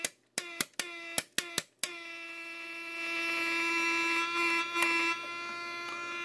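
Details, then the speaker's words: Hallicrafters SX-110 receiver, recapped, with the 6SK7 removed and sensitivity turned counterclockwise: the crackling worsens, then after switch clicks a steady high-pitched squeal holds one pitch. Oscillation suspected to come from an IF transformer. "Crackling gets somewhat worse. Now I'll break the circuit with the switch, it'll squeal."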